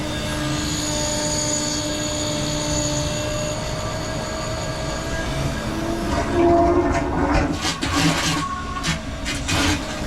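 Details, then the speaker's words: 12 V fuel transfer pump draining the tank of a 1997 AM General Humvee H1 with the 6.5 L Detroit diesel, chasing low power from fuel starvation. Steady high whirring with layered even tones, then sloshing and gurgling as fuel flows. The pump runs strong and healthy. "What a cool sound it [Music] makes. I can't even get over myself. It's not supposed to be this much fun. Yeah, that's a good pump."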